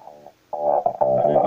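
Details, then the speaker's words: Labtec speaker after replacing volume potentiometer and a section of speaker cable that caused crackling: music plays clean and steady, no crackle, squeak or dropouts while adjusting; clean audio playback. "регулируется. Ничего не скрипит, не трещит. Все хорошо."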